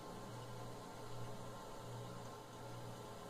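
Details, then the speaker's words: Older refrigerator just switched off: steady compressor hum with a soft watery trickle, like a small waterfall, inside the freezer; refrigerant flowing through the evaporator, normal and not a gas or water leak. "aí um barulho de aparentemente parece barulho de uma cachoeira pequeno né uma queda de água parece o barulho de realmente parece ser um barulho de um vazamento de gás"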